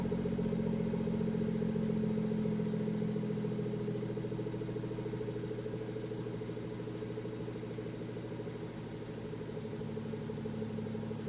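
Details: BMW M240i B58 idling after a catless VRSF downpipe install: uneven, lumpy pulse with a faint clatter, beat wavering rather than smooth; rough idle, cause unknown.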